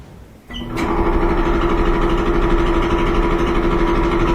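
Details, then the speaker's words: Loud Kenmore dryer running with a droning rumble and uneven thump about three times a second; support roller wheels suspected at first, but the cause was a worn, out-of-round idler pulley. "today we have a Kenmore dryer that's making a lot of noise and we have to figure out what it is sounds like it might be one of the support roller wheels"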